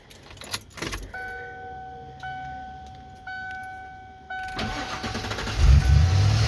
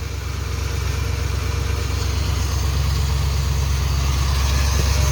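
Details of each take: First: 1996 Ford F150 5.8L gas V8 just after starter replacement: chime, short crank, then it catches promptly and settles, with no grinding or clicking. The new starter sounds healthier than the old one. Normal start. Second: 1996 Ford F150 5.8L gas V8 after starter replacement: steady idle with an extra rough mechanical churning from underneath that builds louder, unusual noise; starter pinion hanging engaged and not disengaging, new starter to be bought.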